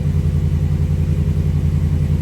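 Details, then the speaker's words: 2017 Ram 1500 Laramie Crew Cab 4x4, static start after front rotor and brake replacement to prime brakes: deep, even rumble with steady regular beat, no knocks or misses; healthy V8 settling into idle. "Now, we're just doing a static start. We're not going to go anywhere, do anything with it, except start it up and prime the brake system. So let's do that. sound of a good ram."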